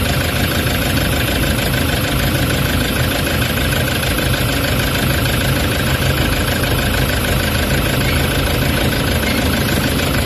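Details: Toyota Hiace common-rail diesel with vibration, low power and check engine codes P0400/P0406 for EGR malfunction, just started: loud, shaky idle with a steady low rumble and heavy vibration, attributed to the faulty EGR valve.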